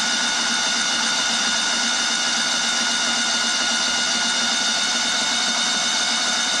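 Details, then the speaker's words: Kohler CH20 Command 20hp engine in a Walker GHS mower, just rebuilt with a budget kit, cranked without firing for a compression test: steady high whirring spin with no knocks or grinding; cranks freely and evenly. "all right sounding good give it a quick Chuck on the oil"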